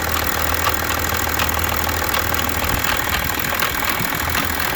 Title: BMW 730d E65 M57N2 engine noise, Timing chain. Bonnet/hood release stuck